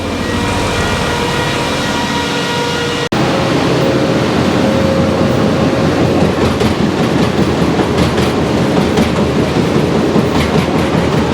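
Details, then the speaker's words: Powerscreen PT330 jaw crusher after toggle plate replacement, jaw running: heavy roar with uneven clacks and bangs two to three per second; still knocking when it should run near silent, ram surging, tension spring moving in and out. "So I've got a feeling it's still going to be banging a little bit when we fire it now."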